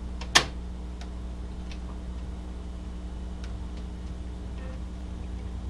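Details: Amiga floppy drive loading a Civilization save disk: steady low drive hum with sparse, sharp head-step ticks about every second; reading normally so far, before a read/write error appears.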